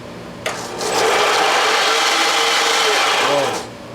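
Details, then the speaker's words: Craftsman belt sander after idler pulley repair and belt tracking adjustment: spins up to a steady whir with a rough scraping rub on top, then winds down; something rubbing, possibly touching the small disc, cause unknown. "something's touching the little disc all right so it looks like I don't know what that noise is"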